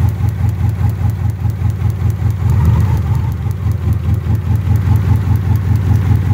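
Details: Engine running rough with no check engine light: lumpy, uneven idle stumbling two or three times a second, running on two cylinders; bad spark plug wires arcing, despite new coil, module, cap and rotor, after sitting about three and a half years.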